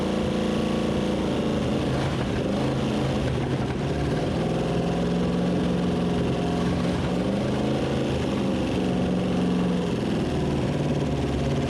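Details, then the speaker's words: 1970 Pontiac LeMans Sport 350 V8 with TH350, a previously stuck engine, runs rough and uneven on first revival with the valve covers off; stumbling revs, and ignition timing is suspected off but not confirmed. "well there you have it kids she breathes fire and it don't sound too bad it doesn't sound good either but it is what it is"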